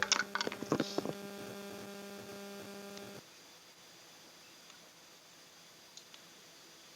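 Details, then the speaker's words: Sharp refrigerator compressor on low mains supply of about 160 V (25 µF capacitor, PTC replaced): steady hum for about three seconds then cuts out without starting; compressor stalls from low supply voltage, not a compressor or PTC fault. "Ini listrik Anda lihat ini kompresor tetap ini tidak hidup Guys jadi ini sudah pasti ini listriknya ini super masalah"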